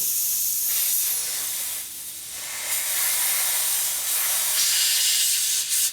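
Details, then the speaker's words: Harley panhead wheel inner tube being inflated with no engine running: continuous sharp hiss of air escaping, worsening; the tube is faulty and needs replacing. "This is leaking. It's leaking. Now it's really leaking too. There's something wrong with this tube."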